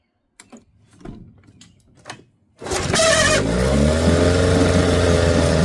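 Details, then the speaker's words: 1975 Johnson 6hp outboard that starved for fuel and died at wider throttle, fuel line refitted; after a few handling clunks it catches and settles straight into a steady, even idle with no stumbling; normal idle. "Let's look out of here. Idling great."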